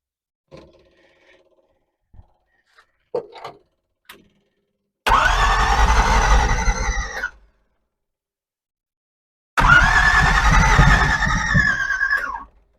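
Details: Small-block Chevy V8 (283) in a Ford, long dormant, after setting firing order/plug wires: two steady cranking bursts of about two seconds with no firing; cranks but no start, timing and old four-barrel Holley carburetor suspected.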